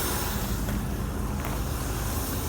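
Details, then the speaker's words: Ford F-100 first start after a tune-up with new plugs and wires; started right away: deep, steady, even idle rumble with no ticking, clicking or hunting, not smoking, though it smells of gas. "oh it started right away oh it sounds really smooth"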